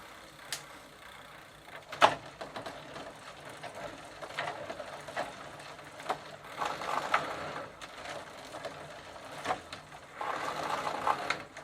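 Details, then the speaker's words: 1990 Gazelle bicycle, Sturmey-Archer AB 3-speed hub with drum brake, WD40 added to soften old lithium grease, bench test in first gear; light irregular ticking and rattle following pedal strokes; chain sounds a bit loose, drivetrain needs replacing (suspected, not confirmed). "sounds like the chain is a bit loose but it really needs a new drive strain"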